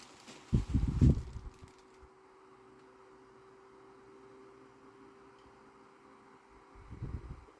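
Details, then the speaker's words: 1993 Air King by Lasko 12-inch oscillating desk fan, grey-bladed, likely model 2150, cleaned and lubricated, running on low with oscillator engaged; faint even hum at one pitch, smooth oscillation with no jerks, few handling knocks. "this one has a really smooth oscillation there's no jerky movements or anything when it like gets to One Direction and stops and starts going again"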